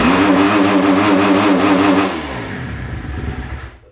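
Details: 2010 Kawasaki KX250F with the hot-start lever loosened, still unchanged: revs climb with a wavering note, then the engine chokes and dies instead of pulling, bogging from cam timing set wrong.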